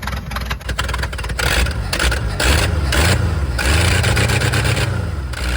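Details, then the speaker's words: Abandoned 1979 Ford F250, fuel fed through the mechanical pump: catches and revs unevenly, surging and sagging, burns the fuel quickly and won't idle; the owner suspects a stuck choke. No fuel found in the oil. "come on bastard all right well it uh burned all that fuel real fast doesn't want to idle kinda sounds like the choke stuck that would make sense i guess"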